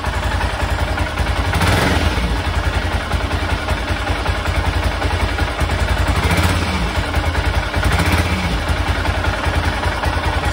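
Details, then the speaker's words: 1996 BMW F650 Funduro single after carburettor rebuild, just fired up and warming: slow loping thump with some top-end clatter, tick-over sits a bit low and needs turning up (about 1,500 rpm). "remember to turn the tick over up a little bit"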